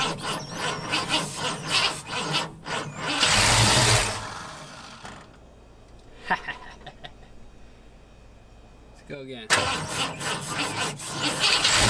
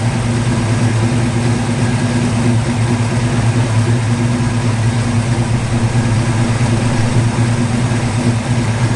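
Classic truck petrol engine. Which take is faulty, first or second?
first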